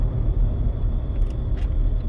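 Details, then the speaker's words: Vehicle on road test after broken axle replacement, transmission fine: steady low droning rumble while driving, the growl of a worn wheel bearing. "he's got a bad wheel bearing too I don't know if you can hear that it's pretty noisy"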